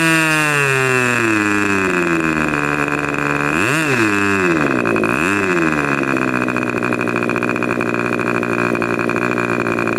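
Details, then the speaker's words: Rebuilt K&B 40 #4011 glow engine with new bearings, ring and gaskets and hand-honed cylinder, about 12 oz run, 10% nitro fuel plus castor, 10x6 prop, near 12,300 rpm: shrill buzz dipping and surging as needle is leaned; running rich, ring still seating. "so it's just not broken in yet that ring is still seating now you could tell also it was running rich"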